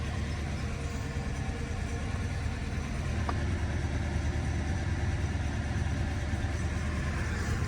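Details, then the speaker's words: 1985 Mercedes-Benz 500SEC Euro-spec V8 at idle after push-start fitted: constant soft puffing under the low rumble, not a miss; owner suspects an exhaust leak, location unconfirmed. "I got a little It's not like a miss, but it's like a air leak in the exhaust"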